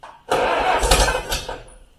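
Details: 1953 Allis-Chalmers WD45 tractor, first start attempts after over a year parked: short cranking burst with brief cough that dies within a second; won't catch and run, fuel issues or plugged tank suspected, not confirmed.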